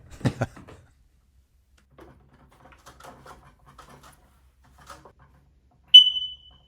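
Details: Smoke detector after battery replacement and 30-second button-hold reset: quiet room, faint handling, then one short, high, piercing chirp near the end; still chirping, cause not yet found, next step cleaning inside with compressed gas duster.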